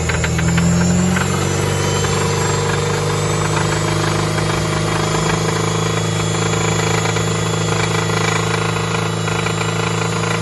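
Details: 2002 Toyota MR2 Spyder, 86.7k miles: inconsistent knocking seemingly from the top right of the engine bay, peaking around 3000 rpm, quieter at higher rpm and nearly absent at idle; owner fears rod knock, cause unknown.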